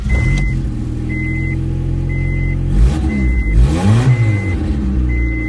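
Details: 1990 Honda Civic wagon Real Time all-wheel drive, after crank-no-start repair with catalytic converter refitted: engine fires and settles into steady even idle with one rev blip while a chime beeps about once a second; runs normally.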